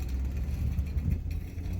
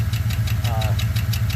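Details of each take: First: 2013 Chevrolet Suburban after lifter repair, warm with temperature at mid gauge and normal oil pressure: steady, even low hum, no top-end ticking; healthy. Earlier lifter noise caused by low oil pressure, plus a cylinder misfire. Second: 2013 Chevy Suburban, cold start, cylinder misfire: sharp quick ticking about eight a second over steady idle; suspected stuck or broken lifter or camshaft from low oil pressure, low compression, diagnosis pending.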